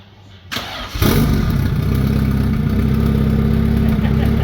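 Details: Honda junkyard car parked since September, after retiming the distributor at TDC and fixing two switched distributor wires; a short crank, then it catches at once and settles into a steady, even low run with no misses. Normal start and run.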